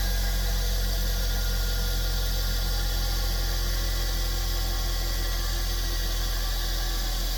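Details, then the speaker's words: Bench grinder after replacing the shorted on/off switch: a steady, even motor hum with a constant low drone and no knocks or grinding. The grinder is running normally again after the repair. "So far, so good. And there we go. It's working. That's what it was."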